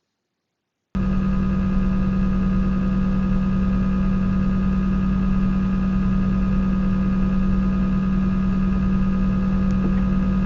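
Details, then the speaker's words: PS5 console, fan A type, in active standby: the slow fan gives a steady low hum with a thin squeaky tone riding over it. Fan squeak at low speed, less pronounced than on fan B. "so from what they're stating in here is that it turns out that the squeaking is also noticeably less pronounced on the fan of this first console which we'll now call fan a then on the second fan b"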